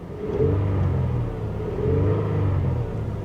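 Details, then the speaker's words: Toyota auction car given a light rev: a deep, even rumble swells and eases with the throttle, with no knocks, misses or smoke; the engine sounds healthy. "it sounds good I'm really surprised um I shouldn't be I shouldn't be that's that Toyota quality right there man but uh yeah not going to lie I'm I'm kind of surprised that she runs so good no smoke"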